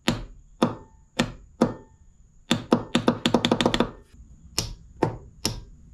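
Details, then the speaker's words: Zero-turn mower that clicks but won't start: solenoid tested on its own with power applied; crisp clean single and rapid clicks, so the solenoid still works and isn't suspected as the problem. "I don't feel like this is our problem sounds like this is still working"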